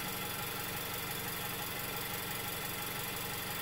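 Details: Car engine idling, recorded with piezoelectric mics in the engine bay above the radiator and on the other side: steady even idle with a gritty, buzzy edge from the close pickup, occasional fan; no clear knock, normal running.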